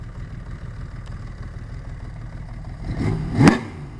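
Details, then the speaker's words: 1980 Honda CBX 1000 six with Wiseco 1150cc big bore, ported head, '79 cams and carbs, Dynajet stage 3, 6-into-1 pipe: settled ~500 rpm idle after carb sync, jetting and valve adjustment, then a crisp rev that drops back cleanly. "he does scream when you wrap it up"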